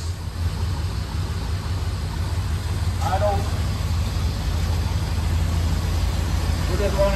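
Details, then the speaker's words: Old engine from a barn find, mechanical tach, about 15 minutes total run time and warming up: uneven loping idle that gradually steadies as it cleans itself up; still some sticky lifters; rough idle. "still got a little bit of sticky lifters and you know it's run for 15 minutes or so in total"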